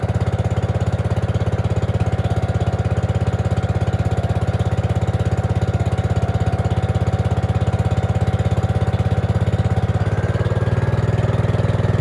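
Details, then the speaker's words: Gravely 5665 freshly fitted with a China carburetor (after a 15hp carb was tried), air cleaner on: a fast, regular single-cylinder beat holds steady, then the pitch shifts near the end. It only keeps running on partial choke, suggesting it is lean. Cause unconfirmed. "well it's running actually ran right off the bat which was awesome but um as you can see I can't get it to run without the uh um choke on"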